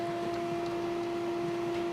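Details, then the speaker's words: Custom-built Pentium D desktop while streaming YouTube: steady high screech at one pitch over soft computer hum; power supply fan failing and not moving any air. "I don't know what's making that noise if whoa okay going to move that if it's the fan on the what's that called the video card or the fan on the processor that's speeding up and making that noise oh no it's a power supply fan"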